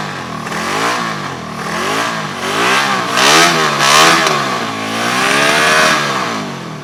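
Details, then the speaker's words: 1974 Honda CB350F four revived after 20+ years sitting: revs rise and fall with an uneven, lumpy beat. It runs on cylinders 1, 2 and 4 with spark on all four. No. 3 is dead, its blocked carburetor seemingly getting no fuel, since sprayed fluid ignites instantly. "on three cylinders seems like number three carburetor is not getting fuel when we spray fluid in there it ignites instantly so it's definitely a carb issue there"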